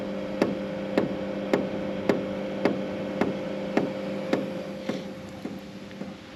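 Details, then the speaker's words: BougeRV diesel heater test-fit in a Chevy van, unit stored overnight in the garage on a 20°F day: steady even ticking almost twice a second over a low hum, the fuel dosing pump priming normally at startup. "Fuel pump's starting up. You can hear it there. It's almost like it primes cuz it runs kind of slow."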